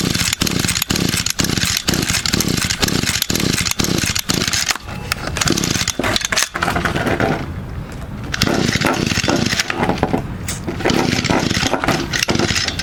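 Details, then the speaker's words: Echo GT200 string trimmer, unused for 2–3 years, fitted with a new carburetor and cold-started after five primes with choke on. Repeated rapid pull-cord rasps, about two per second, with no firing; it turns over but won't start, cause unknown. "I can see us I'm not sure what's wrong with it y but Chingo [ __ ] putar your cover won't [ __ ] start you guys have any idea what could be wrong with it"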